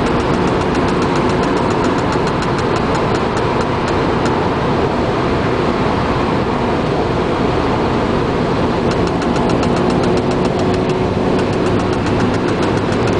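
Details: Cold car engine idling with a quick, even light ticking over its steady rumble; owner suspects the interior fan/heating system, cause unconfirmed.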